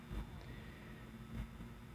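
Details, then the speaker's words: 1931 Emerson desk fan Model 29646 with speed control cleaned of oil. Run at 110 volts on the low setting, giving a quiet, steady low motor hum with no knocking, scraping or rattle; runs smoothly. "we're gonna go ahead and turn it on low and we'll move this to low there we go and the motor works"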